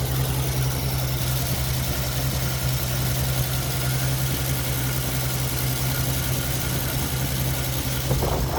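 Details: Ford XP Falcon engine that sat 35 years, running briefly on a carburetor bowl primed by hand with the fuel supply not connected. It settles into a steady, even idle with a low drone and no knocks or misses, then runs out of fuel.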